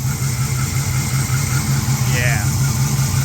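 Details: Mopar engine at idle before repair: a rough, even churning rides on the belt drive and does not follow throttle. It was located with a mechanic's stethoscope as a noisy idler/tensioner pulley bearing.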